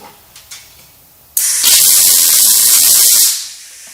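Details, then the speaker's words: RILAND 200A multi-process MIG welder on sheet metal after wire speed increased and voltage lowered to 12 to stop burn-through: steady even sizzling crackle, the sound of a correctly set arc. "and that sounds a lot better you can hear the the the popping and it it weld it a lot better"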